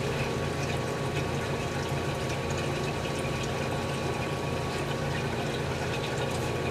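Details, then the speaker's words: General Electric CJ-1-C16 antique fridge after repair, 100-degree room: steady rushing, hissing refrigerant flow over constant low hum, no knocks, liquid entering the hot evaporator; compressor power demand and low-side pressure rising under heavy load. Normal flow into evaporator. "And the power demand of the compressor is going up. And the low side pressure is going up because that liquid's going into the evaporator, which is really hot right now, putting a heavy load on it."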